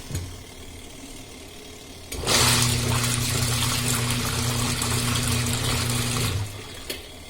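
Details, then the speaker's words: Sanyo SW1070 TK2 manual washing machine on the wash setting: motor starts cleanly, holds a steady low hum with water swishing, then stops smoothly. Wash works normally, though the spin side on this machine does not work. "Our wash side is working nice. Let's check if these options working or not. It's still working good."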